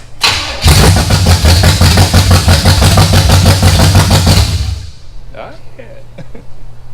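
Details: 1974 Chevy Nova 4-door with a 350 V8, bought as a non-runner and being brought back to life: brief crank, then the V8 catches and runs with a quick, even lope for several seconds before shutting off; healthy start.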